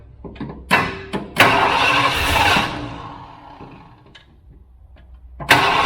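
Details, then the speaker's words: 1978 Ford F-350 parked 11 years, carburetor needle didn't close, severely flooding it: short cranking bursts with a ragged catch that fades, then more cranking; the V8 won't pick up, flooded. "well let's see if it runs now that it's severely flooded"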